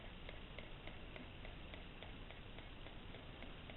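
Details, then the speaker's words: Chinese diesel air heater bench test before boat fitting, first priming with air in the fuel line: light, crisp ticks about three a second over a quiet hiss, evenly spaced; dosing pump priming fuel up to the burner normally. "There's the pump going now. Don't know if you can hear it, and there's the fuel going up to the fire."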